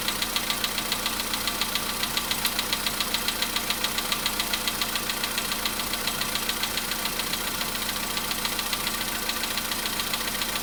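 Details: VW Polo Sedan engine on a cold start, watched as it warms toward 55 degrees over about four and a half minutes: sharp, even knocking about 3.5 times a second over the cold idle; knock present while the engine is cold.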